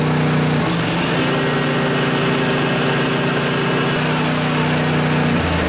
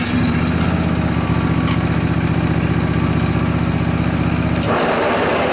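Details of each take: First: John Deere LA145 riding mower, 48-inch deck, after replacing noisy spindle bearings, blades engaged; steady running, deck spins smoothly without squeal, rumble or grinding, speed changes cleanly; normal. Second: John Deere LA145 riding mower, Briggs & Stratton twin Intek, 48-inch deck, cold morning about 35 degrees, blades engaged; even steady chug with rough busy drone on top; worn deck spindle bearings, later replaced.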